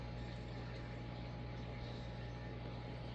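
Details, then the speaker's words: Vintage late-70s/early-80s Casablanca Victorian ceiling fan, K63 motor, mic right under fan: steady low hum with faint rough rustle as bearings begin to wear; bearings likely fine with oiling, flywheel appears warped. "You can hear them bearing starting to make some noise."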